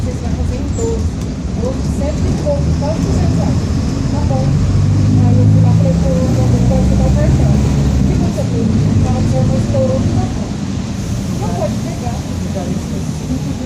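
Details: 2007 Grande Londrina 1110 Torino bus on Mercedes-Benz OF-1722M chassis, line 505, recorded 2021, onboard while driving: low, steady droning growl under engine and road noise, rising and falling with road speed; rear differential growling.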